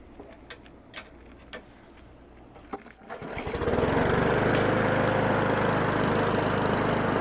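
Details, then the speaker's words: Craftsman 917.388834 push mower, Briggs & Stratton Classic flathead, with the aftermarket Amazon carb scrapped and oil clean: catches after a few pulls and runs really good, settling into a steady, even buzz with no misses. "So this thing runs really good."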